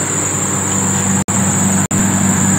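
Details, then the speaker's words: Car engine just after a cold start: thin, steady high-pitched squeal over low engine hum from a slipping drive belt, fading by itself within seconds to a minute or two. "Hai nanti bunyi berdecit ini akan menghilang dengan sendirinya dan dia Ya nggak terlalu lama ya terjadinya bisa beberapa detik aja"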